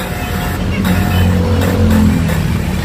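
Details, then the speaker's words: Toyota Revo alternator diode on an improvised 220 V test rig: a steady low buzz holds for three seconds when grounded, marking the diode as shorted and bad. "Pag grounded guys ganito ang tunog."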